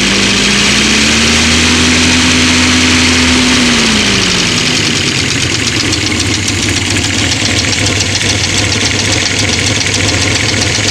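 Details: 1970 Opel GT at idle: quick light ticking over steady idle, heard toward the back; goes away at higher rpm, cause unknown.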